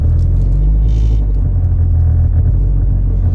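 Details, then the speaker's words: 2007 Mazda driving and shifting gears: heavy droning low rumble and rattling vibration in cabin, caused by a failed engine mount; fix is replacing the mount. "so this is the reason why this car is rattling noise just very easy to replace engine mount"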